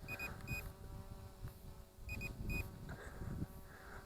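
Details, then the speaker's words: SJRC F11 Pro brushless GPS drone: short high beeps in pairs and triples repeat over faint background noise, one for video recording and one for automatic return-to-home and landing in progress. "now here the beeping we got two beeps there one is for the camera letting us know we are recording video and the other beep is telling us we are doing an automatic return to home and landing"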